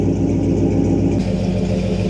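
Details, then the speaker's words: Big-block Ford Bronco with newly fitted exhaust, muffler equivalent to a Flowmaster 50 series, tip turned to body line: steady deep even V8 burble at idle, mellow muffled tone, no rasp or leaks; healthy. "I like it a lot. It's got a nice little tune to it."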